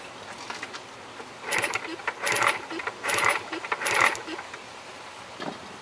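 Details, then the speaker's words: 1970s SP370 that had no spark, now sparking again: sharp crackling snaps in short bursts; coil confirmed working, points or a part lower down suspected as the remaining fault. "you should should actually be able to hear it firing now even with my custom brake cable"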